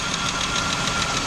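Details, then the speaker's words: Chrysler 3.0L V6 minivan started after fitting a serpentine belt tensioner shield against belt slipping off: fast light even ticking, about seven a second, over steady idle, a slightly noisy hydraulic lifter. "let's go ahead and crank it up and see how it's running okay let's see what we got here and I got a little lifter Pat there"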